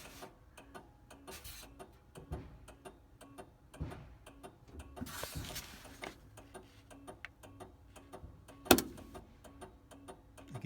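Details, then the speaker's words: 1967 VW Karmann Ghia on a small lawnmower battery: steady flasher clicking slows slightly and unevenly as voltage drops when the lights are switched on, then picks back up. "you turn the lights on nothing happened to play you can hear the power drop on the flashers a little bit slower you"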